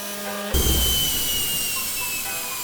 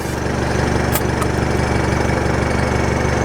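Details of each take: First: Newly installed permanent onboard air compressor filling a tank: steady high hiss over the compressor hum, an air leak on the fill line before the one-way valve, suspected at a bung or joint, not yet confirmed. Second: Permanently installed onboard air compressor cutting in to top back up with the vehicle engine idling: even pulsing hum of about four beats a second over the steady idle; normal compressor operation.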